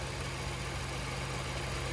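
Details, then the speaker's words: 2003 Jaguar XJR, 4.0 L supercharged V8, neglected, valve covers possibly recently replaced, oil spilled from a loose filter after an oil change: steady, even idle burble with smooth low pulse, no misses or ticks; runs extremely smooth. "i mean that runs that runs extremely smooth"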